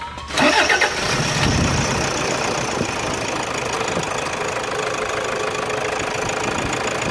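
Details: Toyota Hilux 3.0 diesel after injector replacement, cleaning and decarbonization: short crank, quick catch, then steady even idle clatter with no misses or hunting; starts clean and runs smooth.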